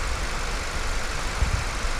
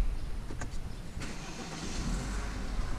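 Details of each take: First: Honda Civic after head work, left idling to warm up and wait for the fan; no longer overheats: steady low idle, even rumble, no knocks or misses; healthy. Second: BMW F30 misfiring badly: rough, lumpy idle with an uneven beat that stumbles when revved; ignition misfire suspected, not confirmed, although the owner says a new coil and other parts were already fitted.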